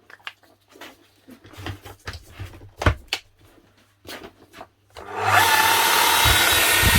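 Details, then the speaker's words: 18-year-old (2006) new-old-stock Makita HR5001C hammer, bought non-running, after new brushes: clicks, then the motor spins up to a steady even high whir, no sputter or sparking crackle; runs like new. "smooth as sulk sounds like a brand new machine unbelievable a € 1,000 machine bought for €100 and a 20 set of brushes put on there and she's up and running"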